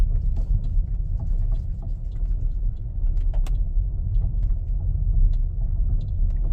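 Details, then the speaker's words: Changan UNI-K driven over rough road: dull, irregular knocks through heavy road rumble, heard only on bad pavement; owner suspects a worn front ball joint, not confirmed. "звук непонятный именно по плохой дороге."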